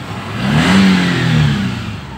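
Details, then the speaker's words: 2015 Daihatsu Xenia 1.0, formerly sluggish and powerless, after carbon cleaning, new spark plugs and tuning; AC on, idle stable near 900 rpm: free rev climbs cleanly and settles smoothly without stumble; throttle now light and responsive. "Oke ini posisi AC hidup kita coba Oke jadi gasnya langsung beda udah"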